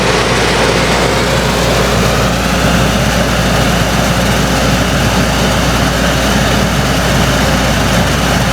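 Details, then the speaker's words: Ducted roof air conditioner above the bedroom in a Winnebago Ekko van, phone between the bed pillows reading about 66 dB baseline with filter on: steady loud air rush over low, even compressor hum. Excessive noise from air leaks at the filter, before foil-tape sealing. "I'm going to put my phone right in between where our heads are right here on the center area and see what we get for decibels as you can hear the AC has kicked on"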